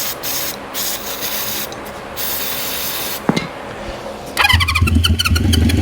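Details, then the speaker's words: 1973 Honda CB350 Four on starting fluid: cranking with spray bursts, then a short rough catch that fades out; it fires briefly but won't keep running, and the carburetor is suspected clogged. Cause suspected, not confirmed. "I don't know about you guys but that sounds like it's running I mean it made a little bit of noise could be clogged up back there"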